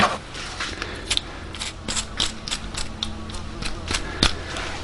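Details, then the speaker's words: 1998 VW Golf GTI VR6 (MK3) drive belt tensioner roller, spun by hand off the car: uneven gritty rasp with scattered clicks instead of a smooth whir; worn idler/tensioner roller bearing, replaced. "Tensioner, roller, noisy. We changed that out."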